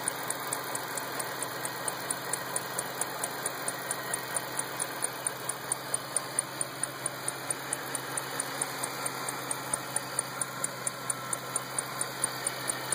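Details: 2008 Ford Shelby GT500 at idle: sharp, light ticks about two per second riding steadily over a smooth idle, a clear top-end tick, source not yet pinned down.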